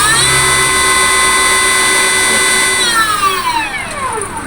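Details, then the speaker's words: Datai e-vehicle motor with motor head (gear end) removed, run bare with light throttle: clean steady high whine gliding down as it coasts, no knocking; bare motor sounds normal, noise traced to motor head. "একটু accelerator দিয়ে দেখলাম শব্দটা মোটামুটি ভালোই আছে। এই শব্দটা এরকমই থাকার কথা, মোটরের স্বাভাবিক যেরকম শব্দ থাকার কথা এরকমই আছে।"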